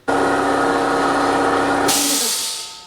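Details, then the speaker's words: Workshop air compressor used for airbrushing, running then cutting off once the tank is full; steady loud pumping drone with a hissing rush cuts out at about two seconds and the hiss tails away, a normal shut-off at full pressure. "you can definitely hear the difference when that compressor is running and then shuts off but now that the tank is fully pumped up i'm going to get about half an hour's worth of spray before it kicks back in"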